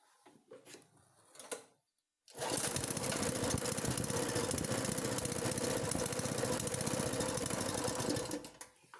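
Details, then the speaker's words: Petrol engine generator after overhaul and carburetor cleaning: after 8-10 kicks it starts, runs rough and busy for about 2 seconds, then dies. Stalls shortly after starting. "ये 8-10 जो है वो kick लेने के बाद एक बार 2 second start होता है, उसके बाद ये फ़ौरन बंद हो जाता है।"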